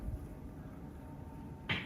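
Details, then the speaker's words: 1970 Chevrolet Nova power steering, gearbox low on fluid: one dull pop only when turning the wheels back left from full right lock; cause not yet found. "So it's making that popping noise. It's only doing it in that one spot when you start to turn the wheels back to the left."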